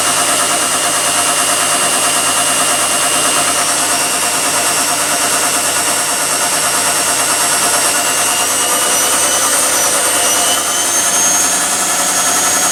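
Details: Replacement tumble dryer, lint screen removed: steady, even whirr and airflow rush with no knocks, scrapes or rattles; running and heating normally.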